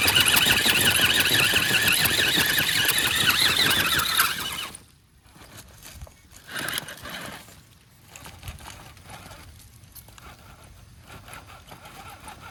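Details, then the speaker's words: Wraith 1.9 RC crawler, 3-gear transmission, AR-60 axles: high harsh grinding, chirping squeal while drivetrain runs, fading when stopped; front differential, owner suspects chewed ring and pinion, pinion input bearing or loose ball bearing. "know if it's coming through on video or not, but I can definitely hear some chirping, grinding kind of a sound. Maybe a little skipping of a teeth or something. It definitely sounds like it's coming from up front, which is not surprising."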